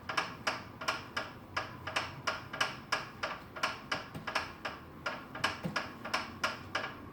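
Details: FitDesk v2.0 while pedalling: sharp light clicks repeat at a steady pedalling rhythm, more than once a second, over a quiet background; cause of the clicking undetermined.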